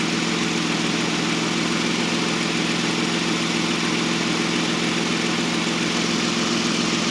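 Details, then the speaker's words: 2005-10 Toyota Avalon after AC compressor replacement, vacuum pulled, almost two cans of refrigerant, AC on high fan max at idle; compressor kicks on, smooth even idle, no grinding, rattle or whine; nice and quiet, ice cold. "You hear it kick on. Nice and quiet."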